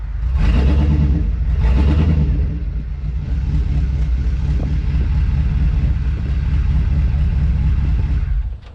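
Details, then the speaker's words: 2002 2500HD parts truck, long-sitting, not moving after about 3 quarts of ATF topped it up to the operating range: engine revs freely in two bursts then drones unloaded. Transmission apparently not engaging drive; later no reverse, owner suspects burnt rear band. "Still doesn't seem to want to move anywhere. I'm going to give it a minute. And then I'll start it again. See if I still need to add more fluid to it."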